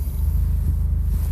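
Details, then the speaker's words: 2000 Mazda MX-5 Miata automatic idling in Drive shakes with a regular stumble; codes P0302 (cylinder 2 misfire) and P0420, catalytic converter and O2 sensors replaced without change, lacks power; cylinder misfire. "as soon as I put it in drive car starts shaking I have an automatic transmission by the way"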